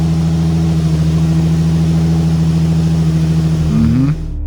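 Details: Crashed Nissan 350z being rebuilt, during wheel hub assembly replacement for a hub noise: smooth, even low hum with steady firing beat and a brief clean rev blip; engine runs healthy.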